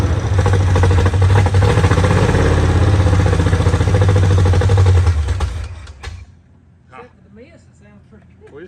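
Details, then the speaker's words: 1968 Ford Mustang V8, freshly cleaned, painted and installed engine, first start on fuel poured into the carburetor before the gas supply is hooked up; steady, even burble with no miss for five seconds, then shut off; normal first start. "need to get some gas hooked up to it now it ain't got no Miss I"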